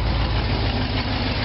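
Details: 1957 GMC/Wayne bus, cold start after sitting a while, unfinished open exhaust, possibly low on fuel: deep steady loud idle that runs evenly; owner suspects a weak fuel pump.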